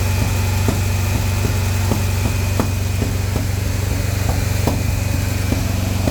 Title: misfire during break-in run was really bugging me. Plug wire on #4 was the culprit.